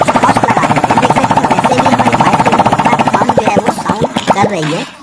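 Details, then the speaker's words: Hero Passion Pro after a full engine rebuild, running without the silencer fitted: sharp rapid exhaust pops at a steady even beat, no knocking or rattle, then shut off; smooth and healthy. "ये बिना silencer का आवाज आप सुन रहे थे इतना smooth दोस्तों"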